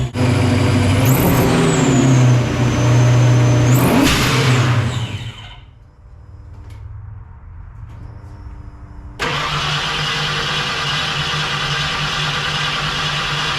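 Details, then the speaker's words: Supercharged 306 Fox-body Mustang just fitted with an Anderson N-51HR camshaft, timing low and bumped up: engine revs, sags and dies, then after a hard restart settles into lumpy idle; bypass hose blew off, cause of stall unknown. "so far so good I don't know why it just died and didn't want to start back but we blew the bypass hose off of it"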